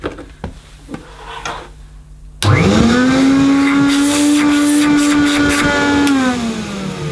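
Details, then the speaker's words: Vintage Hoover 427 cylinder vacuum cleaner, metal body with a cloth bag, sold up to the early 80s, first power-on after unboxing: the motor spins to a steady, slightly coarse, gritty hum and runs but sounds rough. Owner suspects dry bearings needing a strip-down and lube. Rough-sounding motor. "It does turn on, but that doesn't sound too healthy. No, it doesn't sound too healthy to me. That's probably a motor strip down and a lube job, which I haven't time at the moment to do, but it goes."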